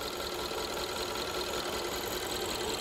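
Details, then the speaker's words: 2015 Kia Soul 1.6 L with check engine light on and the engine shaking: rough, uneven idle stumbling about two or three beats a second, a cylinder misfire confirmed by scope as a failed ignition coil; also loses power and dies at stops. "you see the engine is shaking very badly it's misfiring but look at our spark line on that coil over there okay it's good it didn't change so this coil is what's causing the engine to misfire very badly"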